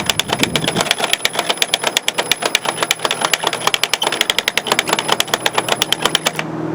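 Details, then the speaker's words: EGO POWERLOAD string trimmer auto-winding line after restringing, by pressing the button on top of the head: quick, even ratcheting clicks, about seven or eight a second, over a light motor hum, then it stops; normal line winding. "you see this little button on the top here just push that it's actually pulling itself in"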